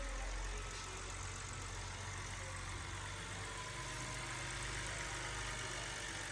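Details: BMW after a general tune-up that fixed misfires caused by mixed spark plugs (2 of one brand, 4 of another): quiet, even idle with a steady low hum and no stumble. The engine now runs smoothly on all cylinders.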